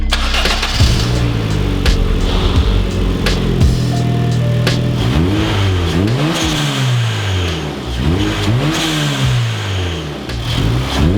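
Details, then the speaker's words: Turbocharged Honda Fit, revving: revs climb and drop, each lift-off giving a short sharp high-pitched hiss, the desired "JDM bald eagle" sound; blow-off valve venting normally. "that is the sound I was looking looking for it's like a high pitched JDM bald eagle"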